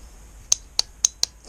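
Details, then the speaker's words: Aprilia Pegaso Cube 650 no-start, starter solenoid terminals corroded and one side showing heat melting: four sharp dry clicks about a quarter second apart with no cranking; stuck starter solenoid. "yep think we might have a stuck solonoid"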